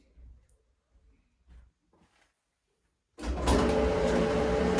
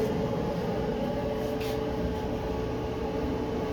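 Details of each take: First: Maytag electric dryer running with a loud rumbling hum and a steady knock about once per drum revolution, then winding down; noise suspected from the front end, cause not confirmed. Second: Maytag electric front-loading dryer after repair: drum turns with smooth steady hum and faint constant tone, no thumping, squeaking or scraping; normal running.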